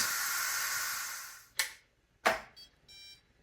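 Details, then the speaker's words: Instant Pot Pro Plus 6qt after quick release on initial water test; hiss dies away, then two soft clicks and a short electronic beep as the float pin drops. Normal pressure release beep. "the pressure is all released and it gives you that nice little beep when the pin falls. That's cool."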